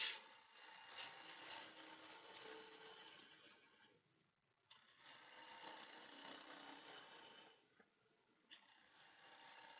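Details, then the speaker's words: Wood blank turned on a lathe for a honey dipper jar: hissing cuts with a faint ticking as a deep crack in the wet blank catches the tool each turn. "You hear the ticking. That crack goes fairly deep."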